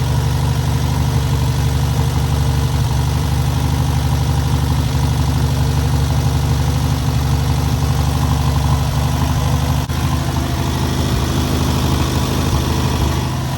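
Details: First start and break-in of newly rebuilt air-cooled VW 1600cc flat-four: smooth steady low burble with loose even beat, constant throughout; normal idle.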